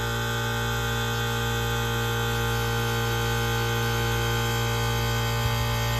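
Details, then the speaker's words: 1978 Comfort-Aire Quietmaster 29,000 BTU air conditioner with Tecumseh AH152HT031 compressor, fan briefly stalled to hear it, not yet cleaned; steady, even compressor hum with low mains drone, no knocking or rattling; normal compressor running. "So we're going to go ahead and stall the fan out for a few seconds here so you can hear the compressor. This thing sounds absolutely fantastic."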